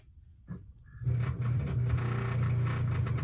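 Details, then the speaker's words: 4-year-old Amana dishwasher not getting water: after a click, a harsh steady low droning hum with no water sounds as the main circulation pump runs dry, possibly bouncing on its bearings. It ran normally once water was added manually. "all right so what that noise is is that is the main dishwasher pump like the cycle pump running dry it's bouncing around on its bearings or doing something along those sorts and it's running dry"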